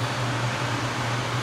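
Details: Port-A-Cool Cyclone 2200 evaporative swamp cooler after its broken submersible pump was replaced and the media refitted, with water percolating. Steady, even fan hum with a soft airy rush and no rattles or surging; normal operation.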